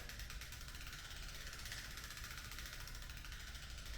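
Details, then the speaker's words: Juggernaut Ultra 1000 wheel with KT ratchet hub, which has two gears that lock together and showed no wear at teardown: crisp, rapid, even clicking while coasting, with no grinding or skipping. A healthy freehub. "It's a solid system. I mean, there's actually is it 2 gears? Yeah, there's 2 gears in there that actually lock together."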